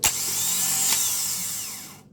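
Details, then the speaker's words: Car starter motor operated via a newly wired starter relay, with the key-start feed to terminal 86: a high-pitched whir spins up cleanly, runs evenly for about two seconds, then stops. Healthy starter operation. "Nah ini saat kita starter maka arus listrik akan masuk ke sini ke angka 86 setelah itu dinamo starter ini akan bekerja ya"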